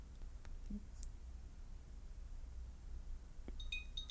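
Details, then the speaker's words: Beats Solo Buds after a factory reset while plugged in; a few soft clicks, then a brief bright chime of several high notes as one bud's button is held three seconds to enter pairing mode. "You're gonna hear the pairing sound. You can release that button, put them aside with the lid open."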